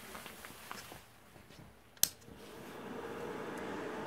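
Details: 1200 W inverter powered by D-cell Maxwell supercapacitor pack at about 13 V, no load: sharp click then steady soft fan whoosh during self-test; normal inverter fan.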